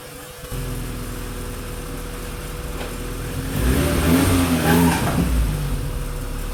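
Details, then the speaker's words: Honda Civic EF with B16, hood open, engine rocking under load: revs rise with short chirping squeaks as the motor rocks back; alternator suspected of hitting something when the engine rocks, unconfirmed. "I could see whenever it does make that squeaking sound the motor is rocking back so another comment I had was when the motor rocks the alternator might be hitting right back here"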